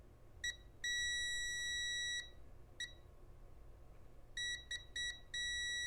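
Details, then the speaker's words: Rotel RSX-1067 receiver (no volume control fault), volume encoder pin 1 checked with multimeter continuity over a quarter turn; should give 12 steps per half turn but beeps come irregularly, short chirps and long tones, contacts shorting and opening intermittently. "it's not acting at all like the trouble control was I've only turned it about a quarter of a revolution and it seems to be shorting out and going open intermittently"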